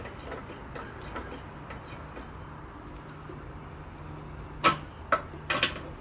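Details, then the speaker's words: 1964 Ford 4000 diesel tractor injector with new nozzle on a vise-held pop tester; three sharp buzzing pops as lever pumped, clean spray, popping about 2500 psi, slightly low so pressure to be raised. "There's our pop off, and I don't know if you can pick it on the camera, but you see a lot of diesel just floating around in here. Looks like I'm popping off about 25."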